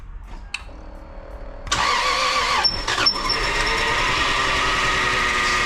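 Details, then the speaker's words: Lexus IS300 2JZ, first start after new engine and transmission mounts: brief starter whirr, catches at once, settles to steady even idle; only power steering fluid leaking. "Awesome, awesome, awesome. Oh yeah. Only thing leaking is power steering fluid. We're good to go, folks."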